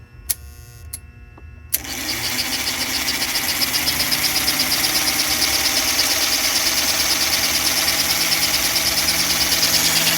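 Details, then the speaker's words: 1952 American Flyer #342 switcher locomotive after armature trueing and cleaning, new fingers, and cleaned wipers, pickup wheels and smoke unit: after a few clicks a smooth steady high whir builds and gains speed as brushes reseat; motor healthy. "see how fast that's going wow all right let's go uh reverse oh sorry forward I guess now that sound that the motor's making is a sweet music to my ears"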